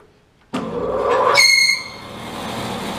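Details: New 3HP Laguna 18bx bandsaw, just set up: right after power-on a sharp high squeal rises over the motor hum for about half a second, then settles. Source of the startup squeak unknown.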